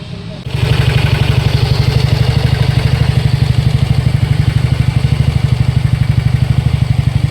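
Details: TVS NTORQ 125 BS6 scooter, 7399 km: steady idle with quick, uneven ticking clatter about three times a second; loose starter one-way clutch and loose tappets, noise gone after one-way repair and tappet setting.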